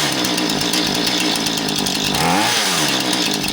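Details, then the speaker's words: Husqvarna 435 two-stroke chainsaw won't idle down: idles fast and buzzy, pitch dipping when the throttle shaft is pushed down by hand; binding in the throttle rod or carburetor suspected, throttle rod ruled out. "So if I open the throttle up, it idles a little high and if I push physically down on the throttle shaft, it idles down lower."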